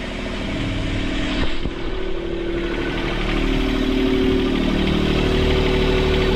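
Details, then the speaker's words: Sailboat port engine after all four snapped engine mounts were repaired following a submerged-log impact, run in reverse at anchor. Idle is too high because of a bent throttle cable bracket. Steady low rumble with no knocks or clunks. Normal running. "Looks pretty good. I can't stay in reverse for long, obviously, because I'm on anchor, but..."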